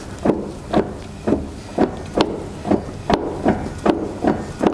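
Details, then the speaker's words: Land Rover Defender rear axle, both wheels off the ground, turned by hand: a dull clunk about every half second. This matches the clunk felt when driving and shifting; owner suspects faulty half shafts. "sound too good does it I don't know what it is and I think that's exactly the sound I'm having when we are driving the car so maybe we are lucky and it's just the half shafts that are faulty"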